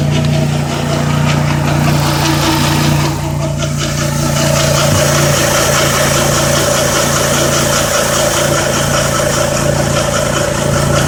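Steady whistle-like tone rides over the idle and shifts with a brief rev, pointing at something on the front pulley. Cause suspected, not confirmed.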